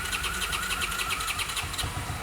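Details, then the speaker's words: 1981 Honda CX500 V-twin motorcycle started for the first time in years, after bending the bent choke back, without touching the throttle. Cranks briefly, then fires and catches at once into an even burbling run with no knocks or misfires; normal start. "Dude, what? Dude, what? Yo. It sounded good here. Yeah. Get it. See if it'll idle."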